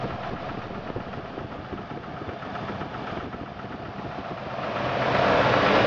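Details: 2000 Jeep Grand Cherokee Laredo 4.0 I6, warming after cold start, oil pressure fine: idle with a faint regular knock about three per second, absent when very cold, mechanics place it at bellhousing/oil pan junction; months-long engine knock.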